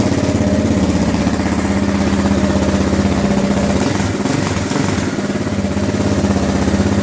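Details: 2009 KTM 690 single-cylinder after a stalling fix: injector cleaned, fuel pump replaced, external Golan 10-micron filter, Akrapovic map and SAS elimination. Steady single-cylinder thumps hold speed with only a small dip and no stalling. Normal idle.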